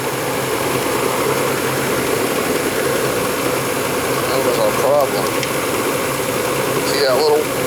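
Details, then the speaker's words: Old oversized Ruud Conquest 80 gas furnace, no-heat call, running after the inducer, hot surface igniter glow and ignition: steady burner roar over an even blower hum, no surging, rumble or clicking; normal operation. "all right there goes the inducer motor then it should glow it should glow in a minute it's glowing then it should fire"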